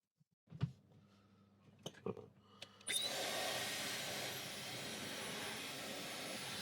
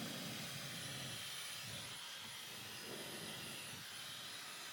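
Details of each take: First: Dyson Supersonic HD03 hairdryer after swapping components and pulling a long hair from inside: a few clicks, then a clean, high, airy whoosh that starts instantly and holds steady. It no longer struggles at the lowest speed; the motor runs healthy. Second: Dyson Supersonic HD03 hairdryer: a thin, high, steady whoosh over a strained, dull hum as the fan labours, with a horrible smell, then flashing lights and shutdown after seconds. Filter is clean; hair wrapped on the motor shaft.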